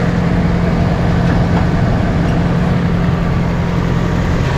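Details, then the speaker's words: Nissan 240SX with SR20DET that has been running rich and only misbehaves at operating temperature; cold start gives an even, steady low rumble with a smooth idle and no misses or knocks. Normal cold idle. "see if it starts right up oh she still has her 3D printed Rose in here it's busted that's new actually sounds pretty good right now"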